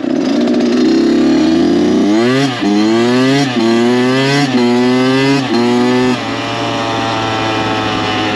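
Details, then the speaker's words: Freshly rebuilt Kawasaki KX 85 two-stroke dirt bike after break-in, ridden at full throttle on the pipe: repeated clean pulls screaming up through the revs, rising pitch, no rattles, knocks or odd vibrations; engine strong and healthy. "As you just saw, brought her up on the pipe, gave her full beans, and no weird vibrations, no weird sounds. The motor pulls really strong."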